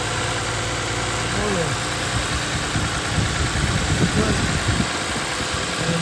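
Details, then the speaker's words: 2020 Toyota Sienna after replacing the water pump with worn bearing and pulley play: steady, even idle with no rattle or growl from the front of the engine; noise gone. "No more noise."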